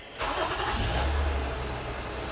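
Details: 2007 Toyota RAV4 V6 start right after replacing the cylinder 4 ignition coil for a misfire, code not yet cleared: short crank, then it catches quickly and settles into a steady low idle with no obvious stumble.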